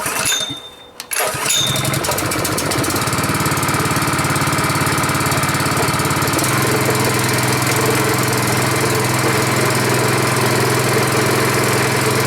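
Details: Honda 5.5HP single-cylinder engine, first start after rebuild, choke on: it catches after a brief pull and settles into a steady, even idle with no misses. Idle is lower than on another engine. Normal idle.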